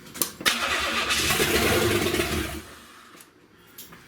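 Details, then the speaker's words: 1970 Buick Wildcat convertible 455, first start-up with no exhaust fitted: a couple of cranking clicks, then the engine catches and roars unmuffled for about two seconds before dying; it won't stay running. "She won't stay running."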